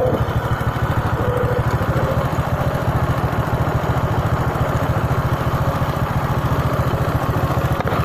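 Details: Honda Supra 125 that would not idle and died when throttled, started after carburetor cleaning and reinstallation while the air screw is adjusted: steady, even single-cylinder idle with no misses or hunting. Normal idle after the carb service.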